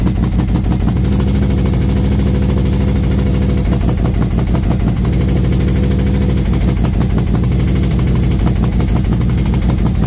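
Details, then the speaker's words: V-twin motorcycle with SS540 cam and valve springs, after repair where a part popped back into place, warming up at 40°F outside: steady, even loping idle with faint intake suck, no ticking; sounds healthy. "it's been about five minutes I think I think it sounds pretty good"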